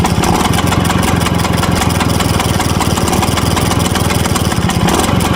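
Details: 1963 Vespa VBB two-stroke at idle: rapid constant metallic rattle through the uneven idle, source unclear; scooter also won't start after it warms up.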